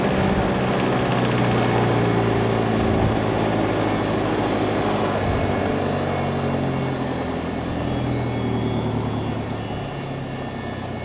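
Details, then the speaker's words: Lycoming fuel-injected Mooney M20J, hot-started just after landing: steady, even idle at about 750 rpm just before shutdown, smooth low drone, no misses. Normal idle. "and we're back to about 7:50 I'm going to shut her down"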